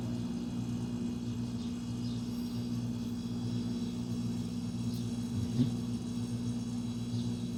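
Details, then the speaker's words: Roadside-found fridge, left on its side, overload relay, relay and capacitor swapped, replugged after a couple of hours unplugged; past the earlier 30-second cutout: steady constant-pitch low hum; compressor running normally. Owner suspects bent pipe may be cracked. "that's a compressor still running"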